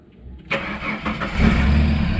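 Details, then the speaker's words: Ford AU Falcon that has been playing up with starting, key turned: starter cranks about a second, then the engine fires and settles into an even idle; a clean, normal start this time. "magic so literally I'll go to show him it's been playing up and it started it just needed my presence it just needed his presence"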